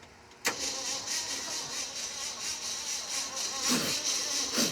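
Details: Starter cranks steadily at about two turns a second but the engine never fires. Jumper cables were needed and a fire flared while cranking. A hot coil giving a weak spark (quarter to half inch) is suspected, not confirmed. Cranking, no start.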